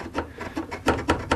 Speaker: I was up against the wall, you know, and it wasn't moving very much, but I got up here just to double check it, and this was wedged over a little bit, and so once I moved it, this was chattering